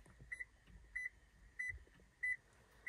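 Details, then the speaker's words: Car with dead battery won't crank while camping: short high chirps from the rear/trunk area about every two-thirds of a second, roughly 94 a minute; warning beeping, power liftgate also not working. "um yeah so I think my battery's dead and you can probably hear that beeping sound coming from the back"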